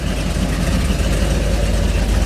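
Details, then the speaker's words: 1957 Chevy with a Holley system still learning, first run out of the shop: deep, even rumble with a steady lumpy beat and no knocks or ticks; lively, rowdy idle. Normal idle. "did it sound Lively yeah I think it's gonna be pretty rowdy"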